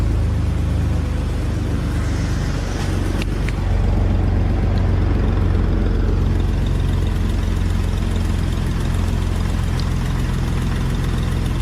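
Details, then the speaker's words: Tired Jeep TJ 4.0-litre inline-six, cold idle at about 50°F on cold straight 50-weight oil: deep rumble with light uneven ticking puff from an exhaust manifold leak; knock masked until oil warms, when the leak goes away. "what you hear right now is just the uh exhaust leak [Music] you can't hear the engine knocking because it's like 50 some degrees here and the oil is cold"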